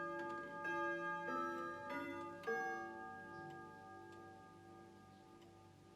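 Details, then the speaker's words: Grandfather clock near 12 o'clock: steady tick about two beats a second, whirring, then clear ringing bell chimes and strikes; chiming and striking normally. "come a bit closer so you can hear it ticking because you see it's almost 12 o'clock and then you must listen for a whirring sound and then you've got to listen to the chiming and the striking"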